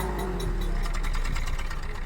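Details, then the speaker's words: Abnormally vibrating 3-cylinder engine at idle and on revving, exhaust pulses uneven with random dropped beats, fuel leaving unburnt; random misfire, with ECM, ignition coil or O2 sensor as candidate causes. "இந்த சைலன்ஸிலுமே டப்பட்டுங்கிறது, அதாவது ஒரு மிஸ்ஸிங்கோட sound நல்லாவே கேட்குது. Engine missing ஆனால் எப்படி இருக்கும்?"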